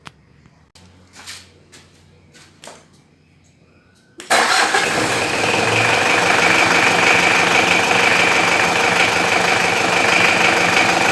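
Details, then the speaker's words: Car engine cranks, catches and settles into a steady idle after the fan belts were lubricated with grease; the earlier whining belt noise is gone, with no belt squeal. "bagian fan belt sudah tidak Berisik lagi ya sekarang ya"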